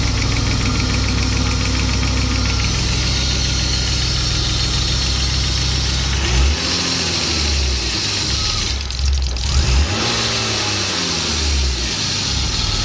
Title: m50 ticking sound